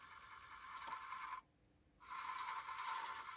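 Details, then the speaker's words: Amiga A500+ floppy drive reading an old game disk after repair: harsh, scratchy grinding with a brief quiet gap, then rough seeking resumes; the disk is suspected damaged, not confirmed, since another disk read fine. "Does not sound good. Well, that sounds like pure horror. So, something tells me all these discs potentially are damaged."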